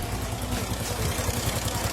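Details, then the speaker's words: Honda Pop 110i (2018) single-cylinder engine idling with a loose, clattery rattle over its low thump. The cause is the long cam chain linking the crankshaft to the camshaft slapping. "Barulho de corrente batendo, e realmente é uma corrente que está batendo."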